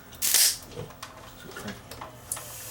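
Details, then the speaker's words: Zenith CRT TV with a failed regulator causing over-voltage: sharp quarter-second hiss as a power supply capacitor vents and blows, going up in smoke, likely the over-voltaged cap. "oh this cap is blown oh cool this is probably the one that was over voltage there and this cap just went up in smoke"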